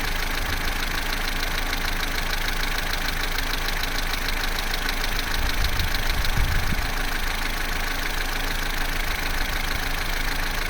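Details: Vauxhall Corsa C, Z14XEP petrol engine, 86,000 miles, cold idle from start-up to about 6 minutes: a steady idle with a soft low hum and no clear rattle. The timing chain rattle only becomes pronounced at full operating temperature.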